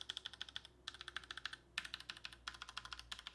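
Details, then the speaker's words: Tecware Phantom L low-profile mechanical keyboard with Outemu red switches: crisp, even clacks in quick typing bursts with little hollowness and no mushy thud; normal switch sound. "as you can hear sound really good there's not a whole lot of like hollowness to them they feel nice they feel responsive they definitely don't feel mushy and i would say they sound pretty nice too"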